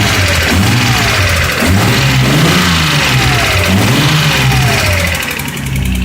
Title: 240z bad engine noise